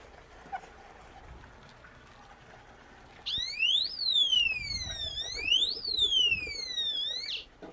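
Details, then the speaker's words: Power-fail alarm on an aquaponics system breaker, tested by switching the power off: loud piercing siren sweeping up and down about every second and a half, alarm working as intended. "Quick little project, little power off alarm. So next time the breaker trips on this, hopefully we'll hear it and be able to come out and address it."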